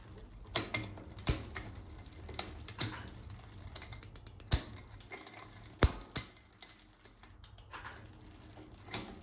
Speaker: so you can see that the chain doesn't like that the gears don't like it it's not allowing the chains to come down it actually went back up on its own and you can kind of hear it rattling in there